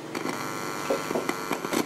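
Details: Polytron GV502I compo switched on with no sound on radio or tape, only low steady hum with faint crackles; cause found to be a shorted 100µF/16V capacitor dropping supply voltage to the 4558 op-amp, before repair.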